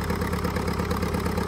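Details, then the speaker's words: Old Caterpillar dozer diesel, parked since 1992, running for the first time after a stubborn start; low, steady chug with even firing pulses and light clatter, no misses or knocks, idling smoothly. "it sounds like it runs pretty good now first time since 1992."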